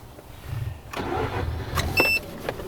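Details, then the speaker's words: Mazda RX8 with a newly installed ProSport water temp gauge, already warmed up by the shop (not a cold start): a short crank, then the engine catches cleanly and settles into a steady idle; a normal start. "Car starts fine though."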